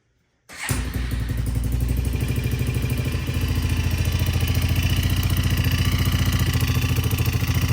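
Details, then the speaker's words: 2000 Arctic Cat 250 ATV, recently serviced: fires up and idles with a light, regular clatter about three and a half beats per second over the exhaust; owner suspects the head or a loose motor mount, as pulling on the engine quiets it. "So it definitely sounds like it's coming somewhere, maybe from the head, unless well, I'm pulling on the engine here and it sounds like that noise is going away. I wonder if there's like a loose motor mount or something."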